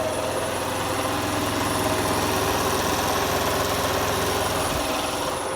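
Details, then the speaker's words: Nissan Leaf electric motor fitted to an Oliver tractor, first power-up at about 800 rpm, no radiator, 32 degrees, out of gear: steady even mechanical whir and gear rattle at slow speed, no knocks or grinding; normal gearbox noise. "much noise all the oh transmission and gearboxes make obviously I haven't tried it putting it in gear yet so once I do that I'm sure it'll make a whole lot of more noise with the gearbox"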